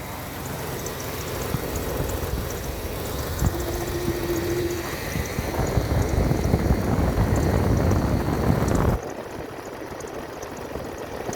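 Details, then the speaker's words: 1994 Ford Aerostar 4WD 4.0L V6, long-sitting, idles with a lumpy stumble; shorting plugs one at a time, one cylinder makes no difference and has weak spark, suspected short in coil, cable or elsewhere. "This one makes no difference. It's got a really weak spark, too."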